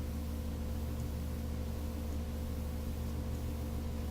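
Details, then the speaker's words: Majestic 5A455 turntable motor, rebuilt, at about 120 volts, drawing about 0.28 amps (30–35 watts), still running cool. Low steady hum with no knocks, scrapes or speed wobble: normal, healthy running. "still running cool though i think i'll let it run for a while and see if it gets warm but so far so good"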